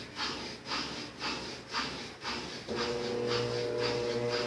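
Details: Brastemp 7 kg washer with heating: rhythmic sloshing pulses about twice a second, then the motor settles into a steady, even hum with no growl; normal spin.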